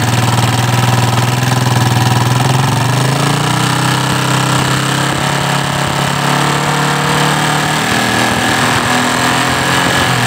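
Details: Yamaha Vixion motorcycle engine with a rough, harsh uneven idle and a fast, irregular ticking of about four per second; rough running with ticking.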